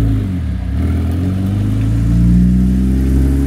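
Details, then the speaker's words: Rebuilt 151,000-mile Porsche 996 911 Turbo driving at low speed in a tight turn: steady deep engine hum, the earlier CV joint clicking now gone. "and a tight turn test say that six times fast revealed that well the clicking noise is gone"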